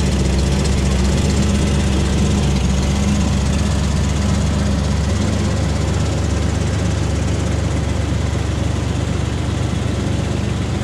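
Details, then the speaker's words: 2004 Ford Ranger XLT FX4 Level 2 after a muffler replacement; it was very loud before. Steady, even low idle rumble with no exhaust roar, rattle or puffing; only normal engine noise remains. "Now all I hear is the engine noise. Which I think is normal. So I'm gonna call that a win."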